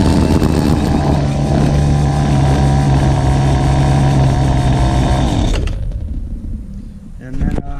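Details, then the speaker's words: Free two-stroke weed eater after cleaning a carbon-fouled spark plug; high buzzy note holds a steady speed on its own without holding the throttle, then cuts out cleanly; normal running. "one so I was running running all by its own on its own there I didn't have to keep feeding it gas on this button to hold"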